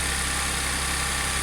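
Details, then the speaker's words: Audi S4 3.0T supercharged V6 on first cold start after driveway bank 2 timing chain repair (P0016/P0018); brief start-up rattle gone as tensioners filled. Steady slightly raised idle hum, no rattle or chain slap; normal cold-start high idle. "I'm glad that noise went away quickly there's no oil in the um tensioners or anything so sounds sounds good"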